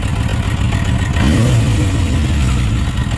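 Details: Suzuki RF900 multi-cylinder motorcycle at idle: low, uneven stumbling beat with no steady rhythm; one cylinder not firing, found by water spray on exhaust headers; suspected plug or ignition coil: cylinder misfire.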